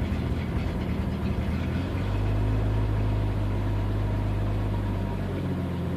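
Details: 1992 Jeep 4.0 litre idling: low idle shifting after about two seconds into a heavier, uneven drone and drifting back; intermittent rough idle, cause unknown despite new fuel pump, MAP and air-temperature sensor swaps, fuel pressure steady at 10 psi.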